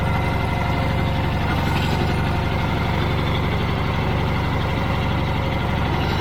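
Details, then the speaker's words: Old Caterpillar D6 dozer diesel at about half throttle, heavy even beat about four pulses a second, no knocks or misses; normal running. "and uh yeah this thing runs pretty good"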